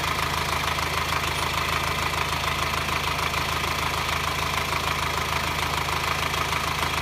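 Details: 2009 Subaru Forester diesel, hot idle: rapid metallic clatter about three ticks a second, only when hot at low rpm and on acceleration, worse in hot weather, silent cold; no smoke, runs fine, five mechanics found no cause.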